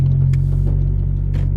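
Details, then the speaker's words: 10th-gen Honda Civic with a big turbo and a Hasport 62A solid rear motor mount, creeping at 6–12 mph: deep, steady droning rumble as the stiff mount passes vibration into the body. "there there's a little bit of vibration I'm going literally 6 miles an hour right there at 12 miles an hour I did it again but like I said you know it's a solid rear motor mount so it's kind of make noises like that"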